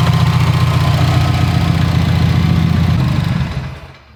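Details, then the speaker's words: 2019 Subaru STI engine idling before teardown: deep, heavy idle with a steady low knock about 3.7 per second until shut off; rod knock. "As you can hear, if you know what you're listening for, this thing does have a rod knock."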